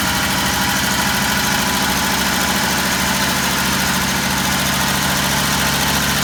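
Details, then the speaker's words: Old truck's carbureted V8 just revived, with the primed carburetor still on choke; it settles into a steady, even idle with a smooth low beat and no knocks or misses. Normal idle. "we're going to let it run long enough to make sure that the choke kicks off on its own"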